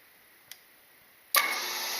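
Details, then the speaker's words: 1996 Grizzly milling machine with newly replaced motor and wired-in drum switch, switched to forward (clockwise cutting head): soft click, then motor snaps on to a steady, even high whir with no rubbing or knocking; normal motor start. "I'm gonna throw the drum switch to the up position and we can see that the cutting head is moving and I guess you could call that clockwise motion"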